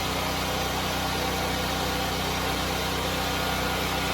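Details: FIRMAN 9400 dual fuel generator running on gasoline, powering a light: steady even drone, constant pitch, no knocks or surging; running smoothly under light load.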